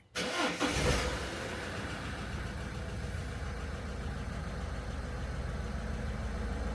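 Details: 2014 Peugeot Partner 1.6 HDi diesel van after additive tank replacement and fault codes cleared: cranks briefly, catches cleanly and settles to a steady, even idle with no knocks or misfires; no engine management light, fixed.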